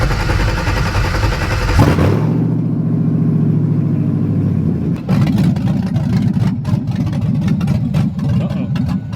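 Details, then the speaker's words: LS-swapped Chevrolet S10 V8 on open-header first start in cold weather: strong running note suddenly drops, then goes ragged and crackly with uneven pulses as the engine stumbles and dies; owner thinks it ran out of fuel, not confirmed. "sounds like we're out of gas [Music] there you go sassy did that she just ran out of gas at least i think it's out of gas"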